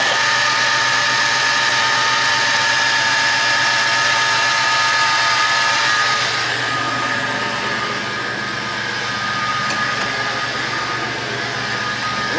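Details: 1995 Chevy Lumina that sat about a year, after tightening the boot connections that caused hard starting: it fires up promptly and settles into a steady, even idle with no stumble or misfire.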